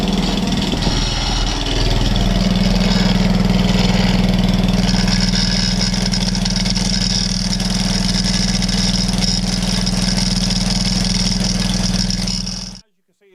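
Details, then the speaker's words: Atco Balmoral reel mower engine idling steadily with a fast fairly even rattle about four times a second; drive belt chattering on the pulleys. "video there uh this is all all chattering okay which is no no no big drama but it will put people off if they go to buy it you know"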